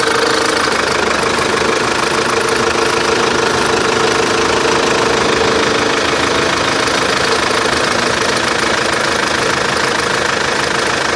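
Fast, fairly regular light knocking, near three per second, over a busy idle with lots of top-end clatter; unidentified knock.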